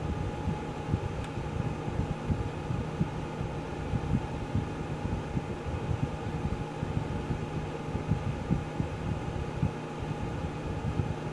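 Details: Geneva infrared quartz element heater, electronic controls, turned off by remote after full warm-up: steady low whir and even hum, no rattles or ticks; fan runs smoothly after elements click off, normal cool-down.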